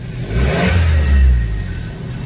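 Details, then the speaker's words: Suzuki Baleno after bent silencer was moved about 1 inch away from the body it had been touching: short rev rising and falling cleanly, no rattle or buzz underneath; exhaust vibration noise fixed. "Accelerator दो तो friends कोई जगह पर कोई आवाज़ नहीं है अभी गाड़ी परफेक्ट है"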